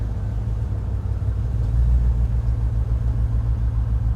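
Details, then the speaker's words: Range Rover V8 on LPG idling just after switching to gas: low, lumpy idle with dropped beats; number eight still misfires after plug check (plug fine, gap slightly widened), so the faulty number eight ignition lead is the cause. "oh yeah I can feel the misfire I can feel it so it must have been definitely that number eight lead rather than the plug"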